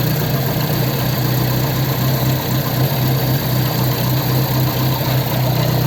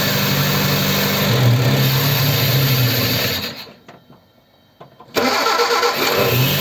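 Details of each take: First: Ford 100E engine after repairing the fuel pump; now charging without touching the dynamo. Steady, even low idle with a smooth pulse and no misses or knocks: normal idle. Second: Ford 100E cold start after adjusting tight charging-regulator contact gaps; fires and runs a few seconds three times, then fades and dies; spark present; fuel starvation from faulty fuel pump.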